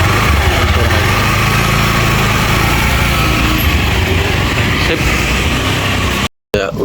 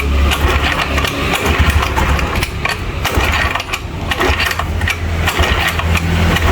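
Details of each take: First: Honda Beat FI scooter after its CVT was disassembled, cleaned and refitted: steady, even run with a smoother exhaust note and no knocks or slipping; sounds back to normal, though the engine still needs a tune-up and service. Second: Honda Scoopy scooter after CVT work, no battery or starter: rough uneven idle with a quick light ticking chatter over the hum; unhealthy engine that needs a tune-up, cause not confirmed.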